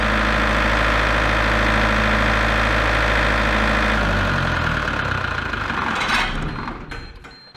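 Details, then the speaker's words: Large three-phase 450 V diesel generator set (made 2013) from auction, with its engine repaired: a steady drone for about four seconds, then it sags and winds down as the controller shows about 215 V output instead of about 240. Under-voltage shutdown. "according to that it's about 215 volts it's given out so should that be about 240"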